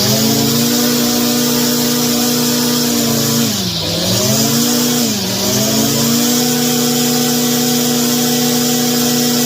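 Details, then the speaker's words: Stihl FS 56 trimmer, stored years without stabilizer, hard start and low power, after carburetor replacement and spark arrestor cleaning, run indoors: high buzzing two-stroke note at steady revs, two brief dips recovering cleanly; runs strong. "make sure she's gonna stay running but yeah sounds good"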